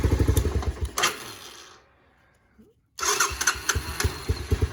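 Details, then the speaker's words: 250 SX after wiggling a loose fuse restored electrical power and the start button worked: engine runs, cuts out, then fires straight back up on the starter and settles into an even, steady idle; runs and idles well. "Yes, sir. There she is. Runs like a charm, idles like nothing."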